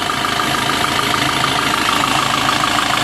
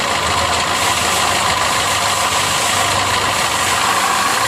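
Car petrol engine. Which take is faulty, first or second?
second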